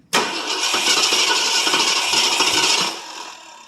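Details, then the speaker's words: 1967 Ford LTD 2-door, 390 2-barrel V8 from a 1970 Mercury, cold start after 12 years stored. Throttle held to floor while cranking, gas poured in. Steady churning, loose rattles, weak puffs, smoke out back, never catches; still flooded. Cranks but won't start. "guess it's still flooded. Hold it down and crank it."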